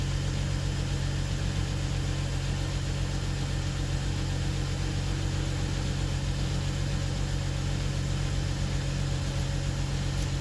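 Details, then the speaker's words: BMW 640 with N55 engine, first start after engine swap: smooth steady idle with an even low hum and no knocks, misses or hunting; some smoke from the engine bay, thought to be oil. "Jag tycker det låter bra, walla."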